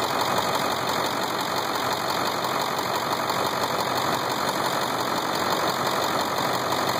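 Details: Ford 7.3 diesel idling with a steady, even clatter and rattly tapping that the owner first feared was a knock; after 3 years and 70k miles it proved to be the engine's normal sound.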